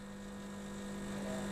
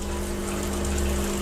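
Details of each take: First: Milesto Eliane espresso machine with vibratory pump, second 20-second shot using a blind basket instead of coffee: loud steady mains-pitch buzz, no change and nothing flowing; pump straining against a blocked basket, deliberately pushed toward overheating. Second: Milesto Eliane espresso machine, vibratory pump restarted after a 2-minute rest following an overheat: steady low hum, firm constant buzz and water rushing through, even and unbroken; brewing normal, no problem.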